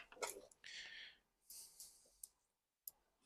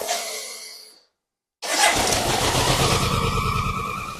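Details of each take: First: BMW K100 with no-start and over-fuelling, throttle position sensor tested: a light dry single click at the very end of throttle travel; the idle switch clicks normally. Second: BMW K100 that was over-fuelling, first run after about a month sitting since parts were replaced: it cranks, catches and flares, then idles lumpy and cuts out. It won't rev and is very smoky; the owner suspects timing is out after the trigger was apart.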